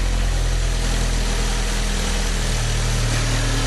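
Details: 2010/2011 Fiat Palio 1.4 8V Fire, brought in for a tapping engine noise, on its first start: a steady, low, even idle with a smooth regular beat and nothing tapping or missing; sounds healthy.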